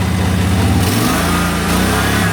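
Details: 2005 Snapper ZTR mower, 1,500 hours, before the carburetor replacement, at minimum throttle the engine pitch climbs and keeps racing instead of settling to idle, wet and burning smell underneath; cause not yet found; uncontrolled revving.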